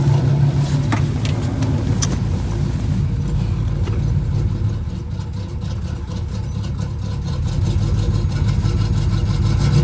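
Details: Cammed 305 small-block Chevy in a Pontiac Grand Prix G-body with new plug wires, shaking rough at idle and in stop-and-go traffic: a lumpy, uneven V8 idle with stumbling beats that don't clean up when revved. Misfire.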